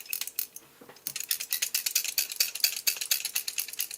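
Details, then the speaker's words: MSR Whisperlite International 600 stove, mid-1990s: quick, irregular metallic rattle from the shaker jet needle popping back and forth to clear the jet; normal. "hear that noise where it's uh kind of popping back and forth that's the Shaker and that what that thing does is it runs a little needle up into your jet to help clean it out out"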